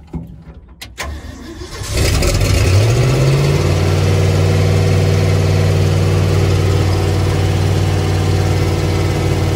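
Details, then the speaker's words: Freshly rebuilt carbureted truck engine, start: cranks a few seconds, catches, revs climb and settle to a steady but noticeably fast idle; idle control set too far, RPM too high. "So when I had it started up, this was too far. I'm gonna mess it up. Yeah, it was too accelerated, so we gotta figure out how to get it positioned right."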